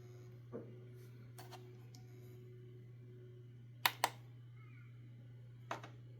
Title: drive not working clicking sound 12tb